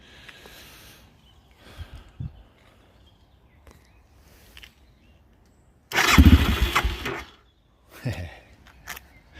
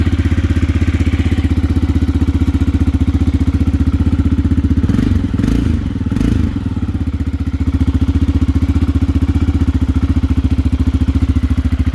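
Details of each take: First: Aprilia motorcycle engine, first start attempt after install and coolant refill with 50/50 mix: brief cranking with a few coughs that never catch, then silence; hesitant no-start, owner suspects carburetors not yet filled with fuel. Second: Aprilia motorcycle engine after install, running following a hesitant first start attempt: steady, even low thumping idle with no misses or knocks; slight smoke attributed to exhaust pipe sealer burning off; engine running healthy.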